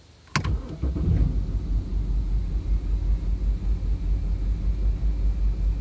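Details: BMW 328xi cold morning start, first or second start only: engine catches then idles low and lumpy, cabin shaking a few times a second, sometimes stalls; shaking gone once revved; fine after later starts.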